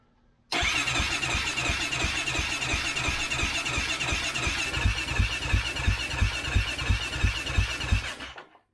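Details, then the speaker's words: 2008 Kawasaki KFX450R, fuel-injected, sat in a barn with stale ethanol fuel: steady cranking with even thumps about three per second and good compression, but it never catches. It is hinted that the fuel pump does not prime at key-on. "And when you crank it, you can hear this thing thumping out the back. Thump, thump, thump, thump, thump. But she won't catch."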